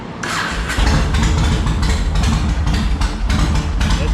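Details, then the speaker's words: 2004 Yamaha Road Star Midnight Edition V-twin after clearing carburetor junk by covering intake while throttling on choke: short crank, catches at once and settles to a strong steady lumpy idle; fires up much better now. "Fires right up. Here, I'll show you. Fires up a lot better now."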